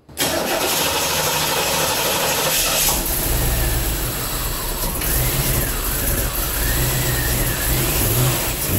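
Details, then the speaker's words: 1987 Chevrolet Corvette C4 that sat 25 years, after fuel pump replacement (gas gauge still not working): the engine catches within a split second and settles into a steady, even run with no misses or knocks. Normal start and idle. "I call that a success! It starts and idles great."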